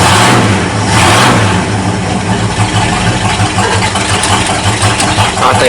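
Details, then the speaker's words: 1979 Ford Dentside truck V8 on new carburetor, not yet warmed up: rough uneven idle loading up between blips; running rich, owner thinks float set too high; charging also not working. "float set too high again just choking it out at idle we'll have to tweak that some yeah it's getting too much fuel again"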